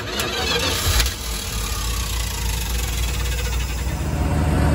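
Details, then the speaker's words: 1974 Dodge B300 Minnie Winnie with a 360 V8, parked 27 years, fuel pump apparently failed. Starter whirs and turns the engine steadily but it never catches. Crank with no start; the fuel hose turned out to be disconnected from the fuel line. "Now this thing ran fine before. Because our fuel pump went out on us, apparently."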